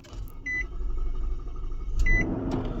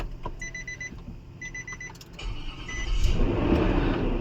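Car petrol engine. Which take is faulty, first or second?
first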